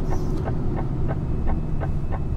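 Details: Loaded HGV tractor unit, about 28 tonnes on: sharp ticks about three a second over a heavy diesel drone under load; the noise persists, cause unknown, and the driver may have it checked at DAF.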